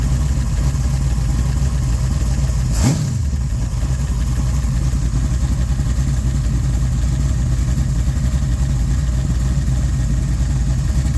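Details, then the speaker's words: Fresh-built small-block Mopar 408 (1989 LA roller block, .030 over, Speed Master heads, Comp 20-811-9 mild hydraulic roller cam, Comp roller rockers, 9.9:1) for a Cuda; deep, steady, slightly lumpy idle with one brief blip near start; normal idle. "It's a relatively mild cam, so he'll be able to run power brakes and all that kind of good stuff that he wants, but it still is decent idle and it's going to make good torque, and it'll work good for the heavier CUDA."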